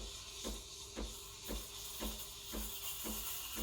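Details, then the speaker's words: Breville Barista Express BES870 steam wand stretching milk with tip near the surface for about 20 seconds; steady paper-tearing hiss with soft regular pulses underneath, normal milk steaming. "keep the tip of the wand close to the surface and keep spinning the middle so i'm going to hold this position for maybe 20 seconds you want to hear that hissing sort of paper tearing sound"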